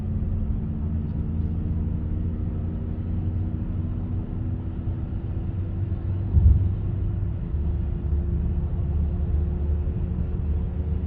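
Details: Chevy Cruze (also Sonic, Trax, Encore) driving with a steady low droning rumble from a worn wheel hub bearing.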